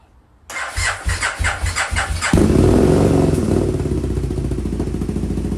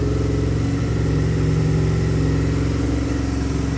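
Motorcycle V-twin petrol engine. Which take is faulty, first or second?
first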